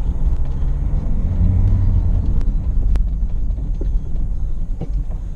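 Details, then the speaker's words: Land Rover Freelander 1 driven with propshaft removed over noisy, groaning prop bearings: steady low road rumble pulling away, no groan, whine or bearing growl with speed; normal driving, no drivetrain noise. "Right, see how she pulls away. At the moment I can't even tell that the prop is not connected."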